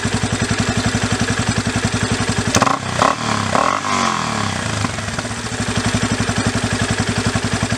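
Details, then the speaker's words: Yamaha Raptor 350 single after carburetor rebuild and idle screw adjustment: even idle snaps up cleanly on a quick blip and drops back; throttle pickup really good, no other carburetor adjustments needed. "So, the throttle pickup on it is really good, so I don't need to adjust any of the other adjustments on the carburetor, which is good."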